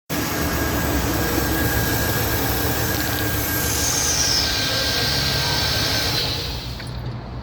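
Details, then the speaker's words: V8 with performance LS plug wires and proper spark plugs fitted after cheap plugs and wires, the cheap wires having broken, running steady and even with no misses, ticks or knocks; runs nice and smooth and healthy. "You hear it's running nice and smooth."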